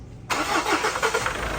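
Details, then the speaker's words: Engine that sat unused for a long time and would not start, after replacing a burnt part and two injectors: it cranks briefly, catches cleanly and settles into a slightly wavering idle, normal for a fresh start. "So Ayan sa tinagal-tagal ng panahon ay umandar na rin sa wakas yung engine natin medyo magalaw pa siya ng konti kasi bagong andar pa lang"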